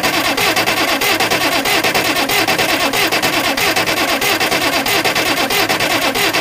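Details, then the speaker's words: Oliver 770 industrial tractor diesel cranked with the electric fuel pump running: even cranking about 1.5 beats per second that never fires, with air and fuel coming out of the high-pressure injection lines. "Air and fuel coming out of the high pressure lines."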